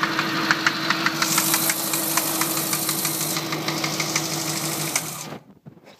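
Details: Mini engine at idle: steady idle with a sharp, regular tap about three times a second until shut off; knocking from inside the engine, cause unknown.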